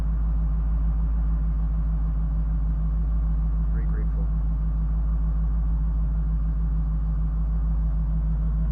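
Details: Ford F250 plow truck started after starter work following broken starter bolts; deep, steady idle with an even low pulse and no grinding, clicking or stumbling, running normally.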